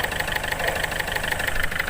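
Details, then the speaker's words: Ford Figo diesel with hard starting (starts only with accelerator), blinking check-engine lamp and low pickup: sharp, rapid metallic clatter over a rough idle, harsher than normal diesel tick; faulty injectors knocking, fixed by replacing injectors 1 and 2. "और आप लोगों को engine दिखाते हैं। ये देखिए ये कितने ज़ोर से नॉकिंग कर रहा है और आवाज़ भी हो रहा है।"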